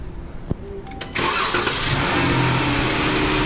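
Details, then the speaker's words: 2015 Chrysler 300 after a fuel pump replacement for a no-start, intake duct refitted: a short crank while the pump charges, then it catches at once and settles into a steady, even idle with no stumble; normal start. "now just like this we're gonna crank it it's probably gonna take a few seconds for the pumpkin charge up"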